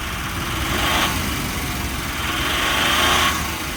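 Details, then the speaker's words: 2001 Nissan Frontier at auction on a jump box: engine rises and falls through two free revs with no load when put in gear, not moving; transmission slipping suspected, not confirmed. "Not getting it Not doing anything when it goes into gear. It's It's slipping. Yep. Trying to, but uh not moving. So, we got a transmission issue, it sounds like."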